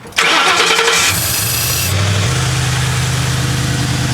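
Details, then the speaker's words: Ford Crown Victoria after a tank of gas with Seafoam added: cranks, catches and settles into a steady, even idle with no shake or misfire; runs much better, unclear if due to Seafoam. "we see this thing is running a little bit better is it the seafoam maybe maybe not maybe who knows but it does run a lot better the engine is not shaking that's good"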